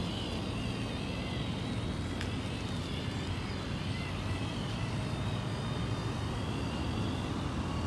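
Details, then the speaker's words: Traxxas TRX-4 RC truck after regreasing a dried-out transmission that had ticked louder under load: smooth even motor whir while driving, no ticking or clicking; gearbox now normal, nothing damaged. "now look like it's silent now i think it's just needs some grease inside now it's okay no more noise like it's normal already"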